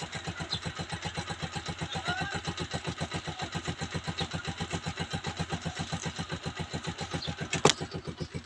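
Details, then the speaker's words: Honda TMX 125 Alpha carbureted single-cylinder motorcycle, cold engine kick-started without choke in two kicks: quick, even putter about eight beats a second, no misses, settling into steady cold idle; normal, idle and air-fuel mixture correctly set. "guys nakikita niyo umandar na siya dalawang sipa lang"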